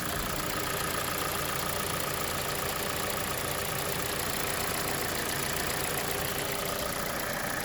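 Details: 2021 KIA Sportage 2.0, hot idle: light tick about twice a second from the right side of the engine that comes and goes. Dealer says it's likely the canister purge valve opening.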